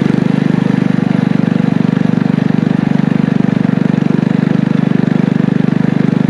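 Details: Small single-cylinder power-washer engine with muffler on a DIY motorized trike, torque converter clutch, ridden under load: steady even putter, smooth and regular, no knocks or rattles; running well.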